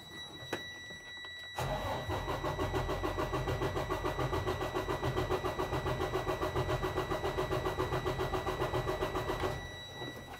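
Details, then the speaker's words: Detroit DD13 during a relative cylinder compression test for suspected high crankcase pressure, fuel disabled so it won't start: steady, even cranking about 3.5 beats per second with no weak strokes. All cylinders read 100%, none under 85%. "it's going to let me turn the ignition a few times and it's going to let it read and gather the information"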